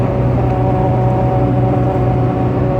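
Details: 2004 Nissan Xterra at highway speed: a steady, low, fart-like droning buzz over road noise. Air leaks through a gap where the gasket between the roof and the roof-mounted wind deflector has separated.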